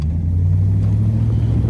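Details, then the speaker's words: 2001 Dodge Ram 1500 2WD after replacing the passenger-side front wheel hub bearing assembly: steady low drone at road speed with no hum, growl or vibration; the hub now sounds healthy. "So yeah, that was what was wrong with it. No more vibration."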